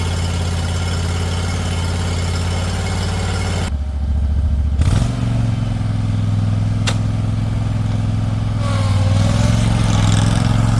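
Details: Toro Titan HD mower with Toro-made twin-cylinder engine, restarted after cylinder wall and head damage from loose valve clearance, with new fuel filter and line: even twin beat, no knocks or misses, climbs cleanly with throttle; normal running.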